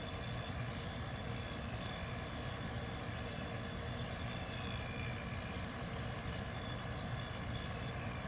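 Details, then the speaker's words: 1973 Westinghouse 25-pint dehumidifier with R12 low-pressure compressor, just acquired, first power-up; only a faint, even hum with no rattles, knocks or surging, compressor and fan running very quietly and smoothly; normal running. "amazing yeah this thing is quiet"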